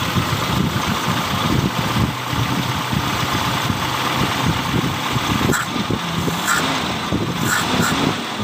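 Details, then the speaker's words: 1997 Toyota Kijang Grand 5K petrol engine idling and revving during distributor timing adjustment: retarded timing makes throttle feel heavy, advanced timing makes it light. The engine runs evenly with smooth throttle pickup and no misses, knocks or rattles. "pada saat timing nya dimundurkan ngegas akan terasa berat ya temen-temen ya kemudian kita eh majukan timing nya itu bagian gas ya pada saat kita angkat itu akan terasa enteng Ya seperti ini teman-teman"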